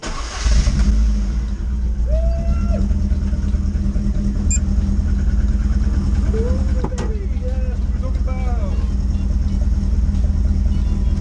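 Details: ZR project rally car first start after floor pan welding, underside respray, fan mod brackets and interior refit, on a very hot day: short crank then catches quickly into a steady, even run with no knocks or misses.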